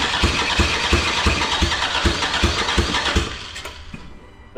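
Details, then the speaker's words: Race car engine during frantic final race prep catches with uneven firing pulses for about three seconds, then fades and dies. A plug/line had come off, probably from the shaking, and was blamed for it running briefly then stopping. Stall from a vacuum leak. "oh wait the pl came off that's probably why it's run for a bit and then stopped"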